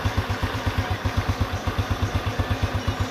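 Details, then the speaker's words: Honda Revo Absolute single after rebuild for cam chain and piston noise: even steady idle thump with no ticking or chain rattle; normal idle. "Tuh, halus banget, bro. Waduh. Mantep pokoknya hasilnya, bro."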